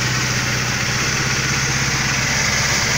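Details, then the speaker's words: 1988 Mercedes 300SE, nearly 400,000 miles, warm: smooth even idle with low steady hum, no tick or rattle; little smoke though smelling slightly rich; normal healthy idle. "let's take a look at the motor watts running all right listen to that motive I mean I don't mean to sound here first right there is not a tick a rattle anything"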